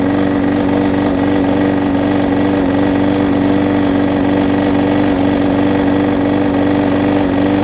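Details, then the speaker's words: Husqvarna mower with transplanted single-cylinder engine, started with starter fluid before carburetor replacement: steady buzzing drone with even beat, no surging or dying out; runs smoothly. "so let me spray some starter fluid in it just to give it a kick to start and I'll see if it'll stay running for us"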